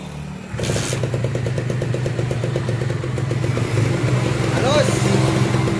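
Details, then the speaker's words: Kawasaki Ninja SS two-stroke, submerged in a flood for 3 days and then restored; the owner said it was noisy before. A crisp, even two-stroke burble with a steady popping beat and no rattles or misses; a normal, very smooth idle. "warna Mantap ya Mantap yo yo jos goreng mantap neh halus banget ya bosku"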